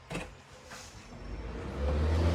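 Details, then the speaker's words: Honeywell evaporative air cooler, after cleaning the water sensor while troubleshooting the water pump; fan switched on: quiet, then a low steady hum and rushing airflow that settles. Fan runs normally. "So, the fan is on. Now I'm going to turn the cooling on."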